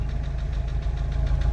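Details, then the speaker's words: MK5 VW Jetta GLI 2.0 FSI parts car that sat 3 years, running after a cylinder head replacement for a seized cam journal: steady smooth idle with light fast injector ticking and no bottom-end knock; rocker cover not fully bolted down. "But yeah, no like bottom end noise. It's like all you hear is the injectors."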